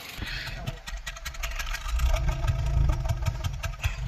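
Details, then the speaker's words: Honda City with factory CNG and replaced injectors, on gas before injector cleaning: uneven, lumpy rough idle with the exhaust puffing and pulsing irregularly and heavy shaking, worse on gas than petrol. Cause not confirmed. "โอเคก็เข้าแก๊สแล้วเสียงท่อกระพือตลอดนะครับสั่นค่อนข้างหนักอ่ะ"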